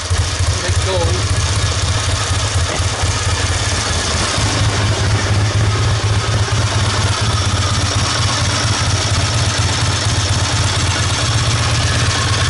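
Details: 1969 Triumph Daytona T100R 500 parallel twin, barely warm, on newly fitted Wassell (Vape) electronic ignition: loud, even beat with a few quick throttle blips that pick up cleanly and settle back; the fitting is judged a success.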